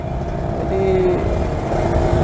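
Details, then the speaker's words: Kawasaki RR150 two-stroke, pilot jet changed from stock #45 to #22.5: thin, flat buzz with a ragged, uneven edge and no full body, sounding short of fuel; lean mixture, pilot jet too small. "guna bunyi pun kita dah boleh tahu sebenarnya macam bunyi tak cukup minyak. Kalau orang lama dia tahu lah."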